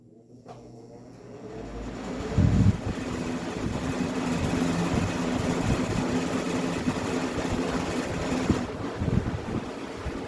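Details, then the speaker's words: Vintage 20-inch deluxe Sears box fan on high speed: motor starts up and builds to a steady airy whoosh over an even low hum, no wobble or rattle; normal running. "But we'll uh fire it up first. We'll do high speed."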